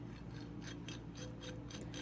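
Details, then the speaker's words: 2001 KTM 50SX two-stroke crankshaft main bearing, engine apart, spun by hand giving repeated gritty rasping bursts; rough worn bearing. "You guys hear that? That bearing's really rough."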